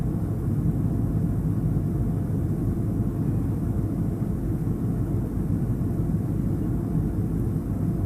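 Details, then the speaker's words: LG refrigerator, rear compressor cooling fan that runs whenever the compressor runs: an even, airy low hum with no ticking, scraping or rattle. The fan is running normally. "okay also located in the back is a cooling fan this fans job is to help cool that compressor so that the unit runs better this van is owned anytime the compressor zone and this is what it sounds like"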